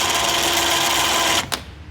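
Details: Badlands winch for a 2009 Kawasaki Teryx, bench-tested on a 12 V battery charger via the handheld remote with no load: even, steady electric whine for over a second, then a clean stop; the motor runs smoothly.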